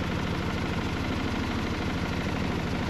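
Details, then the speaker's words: Mercedes W124 220CE, after a crankshaft position sensor replacement, idles low and lumpy at about three uneven pulses a second, with the engine visibly shaking; rough idle, owner suspects a misfire, cause unconfirmed; it later cuts out. "it sounds rough if i take my foot off the throttle now oh okay it's idling but really nastily that is nasty idle"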